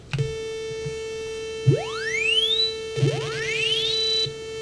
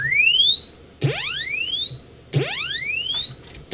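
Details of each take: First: you hear that tone in the back already right that constant tone [Music] these other noises half of them aren't even playing [Music] so it's definitely a little screwy Second: Real Commodore 64 running a SID sound test after swapping in a SID chip from a dead C64: clean chirps sweeping up in pitch, repeating about every 1.3 seconds with clear overtones; sound output now working properly.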